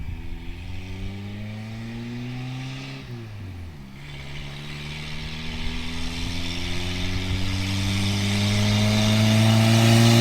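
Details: Toyota pickup 22R-TE with T3/T4 turbo at 8 psi boost, hi-flow cat and muffler: engine revs up and falls back with raspy brrr from an exhaust leak at the wastegate.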